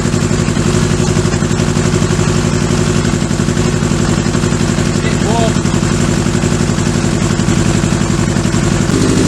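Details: Kawasaki Z650B four-cylinder restoration after rebuilt carbs refitted; loud lumpy uneven beat, revs rise and sound better near the end; one cylinder dropping out, traced to one carburettor.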